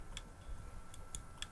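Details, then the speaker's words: Hard drive dropped from above head height onto outdoor concrete in rain: faint sharp ticks, about four in under two seconds, unevenly spaced over near silence; heads clicking from drop damage, drive dead. "Oh no, it’s just making a clicking noise. That’s dead."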